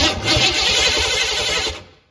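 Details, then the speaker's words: 1972 Ford Pinto drag car with 302 V8, C4 transmission, not run for a while: brisk even cranking with no firing; owner suspects cheap new distributor, battery also possibly weak. "Well, why don't we have fire? My top guess is that cheap distributor I bought."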